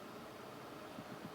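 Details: Weking ZX7-200 welding machine on 220 V after repair: cooling fan gives a quiet, even whoosh with a soft steady hum, no rattle or scrape. Normal cooling fan run.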